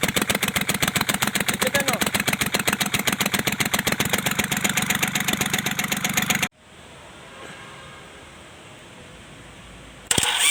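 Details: Kubota L1-255 diesel, idle: hard, regular knock about four times a second over a rough idle, then it cuts out, with white smoke; faulty cylinder head, repair: replacing the head.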